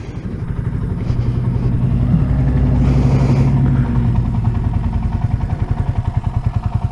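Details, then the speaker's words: 1978 Kawasaki KL250 single-cylinder, warm, idling after a break-in ride following a top-end rebuild with new rings; steady, even thump with no knocks or misses, no smoke or oil leaks seen. Clean, healthy idle. "She's just purring like a kitten. I don't see any oil leaks. The engine sounds really good and smooth."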